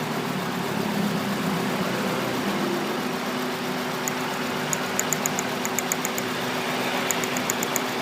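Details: 2003 Honda Accord K20 engine at idle: steady idle with faint irregular tick and slight unevenness; misfire at idle, cylinder 3 mentioned, cause being investigated.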